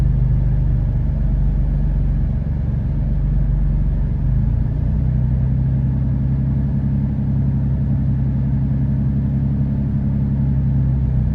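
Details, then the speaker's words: 2013 Dodge Durango 3.6L V6 at idle with P0300: deep steady rumble with an uneven, lumpy beat as cylinders 1, 3 and 5 (bank one) misfire despite new coil and spark plug; cylinders 2, 4, 6 show zero misfires; cause unknown. "there's no misfire but there other the three two one three and five they pretty bad they all misfiring"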